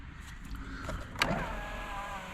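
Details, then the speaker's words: 1999 Jeep Cherokee XJ with 263,000 miles, key on, engine not running; power window motor gives a short smooth whirr ending in a soft thump, working normally. "power windows work"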